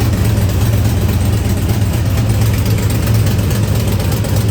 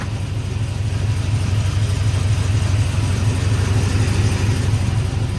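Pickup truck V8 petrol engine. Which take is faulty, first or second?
first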